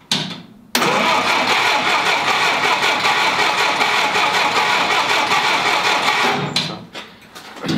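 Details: 1946 Willys CJ2A Jeep, first start after almost five years in storage, with Marvel Mystery Oil in the cylinders and choke half out: brief quiet, then catches and roars steadily before dropping back; a squeal appears, owner suspects the belt.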